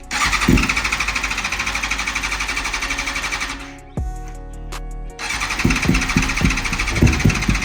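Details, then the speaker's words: BMW S1000RR motorcycle, back from about 6 months in storage on old gas, battery strong: the starter cranks steadily at about 3–4 pulses a second but the engine never fires. The owner suspects the fuel pump or bad gas is leaving no fuel in the lines. "It's trying to crank over, but the fuel pump, there's no fuel in the system. There's no fuel in the lines or in the engine."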